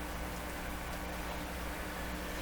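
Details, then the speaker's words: 1925 Lacault Ultradyne radio receiver heard through an audio signal tracer: even, steady hiss over a faint low hum, with no rhythm or pulsing. The noise comes from the power-supply fan and the computer fans under the bench. "i got a fan blowing up on the power supply back here got the computer fans blowing underneath the bench so there's quite a bit of hissy noise in here"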